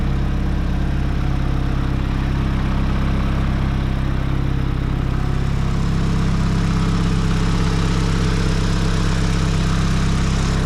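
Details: Nissan S15 SR20 with Garrett T28 turbo, after replacing the turbo and manifold gaskets and fitting lock plates following a boost and exhaust leak: a steady, even, quiet idle with no ticking or puffing.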